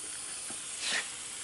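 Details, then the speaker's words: Honda Civic Si B16 VTEC with refreshed head, just after first hitting VTEC: temperature rose and a steady high hiss swells as hot coolant steams out of a big crack across the radiator front; no engine beat. "the temperature went up a little bit when I uh when I first initially hit VTEC you can see it's it's steaming from somewhere"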